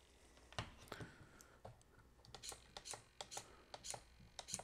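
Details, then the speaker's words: Servo-driven DIY analog RC multi-position switch (gear-driven, single receiver channel) stepping through detents with crisp, evenly spaced clicks about three per second; normal detent clicks, working. "You can hear the clicks of the detents. So it's working."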